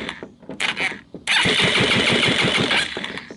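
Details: Linhai Talon 300 4x4 ATV engine removed from frame, bench-tested on jump pack after being unseized; quick, even, strong chuffing at about three to four compression beats a second: starter turns engine over well.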